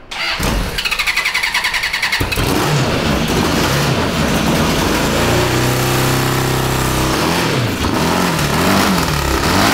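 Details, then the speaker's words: 1982 Honda CB750 DOHC engine in a cross kart, after head service with new gaskets, low on fuel, before carb cleaning: two seconds of cranking, then runs rough, rising and sagging, won't hold idle; poor idle from dirty carburetors. "it probably needs to warm up effort"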